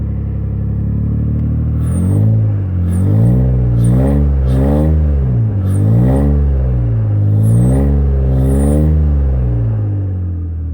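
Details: V6 TL with bad injectors, running on three cylinders: revs rise and fall with a lumpy, choppy exhaust beat, clearly missing on several cylinders. A misfire from failed injectors.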